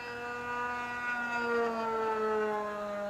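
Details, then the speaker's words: Vintage RC plane's small glow engine after swapping plugs, heard in flight: high, clean buzzing whine holds steady at full throttle, pitch dropping as it passes; runs smoothly, much better than before the plug change. "Yep. The plug made a difference, eh? Oh yeah. Not bad. That's just feeling like a cat now. Dang, it's heaps better."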